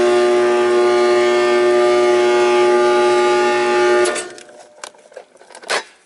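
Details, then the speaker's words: Trane XL14i outdoor condensing unit: loud steady whining hum and pitched drone, then it cuts off abruptly and spins down noisily. Capacitor tested good, unit tripping on pressure; failing condenser fan motor needs replacement. "that fan should run fan should run it's not running [Music] [Music] so got a bad fan there not good"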